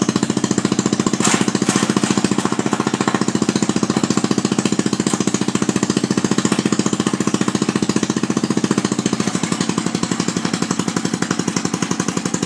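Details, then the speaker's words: Murray mud mower after rebuild, with a new belt and belt retainer, running on a temporary exhaust before the muffler is fitted. Loud, steady, even single-cylinder popping with no stumbles; normal running. "so she done just took her for an amazing test drive she flew went great"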